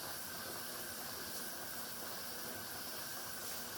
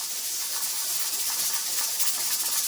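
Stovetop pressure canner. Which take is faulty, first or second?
second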